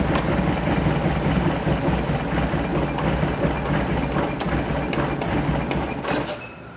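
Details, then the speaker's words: Circa-1970 sand rail, 2.2L engine with dual 44 IDF carburetors, revived from sitting and warm: lumpy, uneven idle with dropped beats, one cylinder not running, sharp pop backfiring through the carb; valves probably bad. Misfire with carburetor backfire. "so she'll run she'll idle she'll ref fire kind of backfired out of that carb so valves are bad probably"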